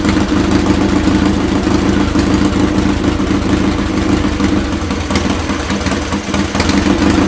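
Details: Restored Triumph Bonneville twin, rebuilt from parts, warm: even, lumpy twin idle at steady speed with no knocks, ticks or misses, nothing strange coming out the pipes; normal healthy idle.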